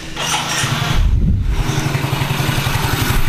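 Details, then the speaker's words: Soul GT automatic scooter after repair of a final drive (gearbox) clunk, with the mic aimed at the rear: it starts and settles into a steady, even putt; the clunks and knocks under throttle are gone. "Udah gak ada suara kayak tadi Matiin dulu Sudah gak ada suara kayak tadi itu udah enggak ada ya jadi Insyaallah udah aman"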